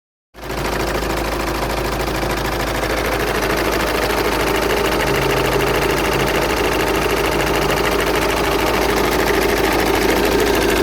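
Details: VW Passat 2.0 TDI diesel idling, strange noise in engine bay: rapid clattering tick running steadily over engine note; rhythmic knocking at idle, cause unknown.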